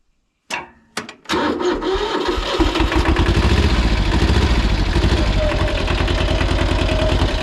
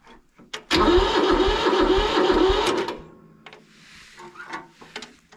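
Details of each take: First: Mid-1970s Kubota L175 two-cylinder diesel tractor, auction purchase: catches after a couple of cranks and settles into an even, steady idle clatter with no misses or knocks; runs normally. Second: Mid-1970s Kubota L175 two-cylinder diesel tractor, auction purchase: loud pulsing starter chug for about two seconds, then it drops away quietly; a reluctant cold start, owner suspects it wants glow plugs.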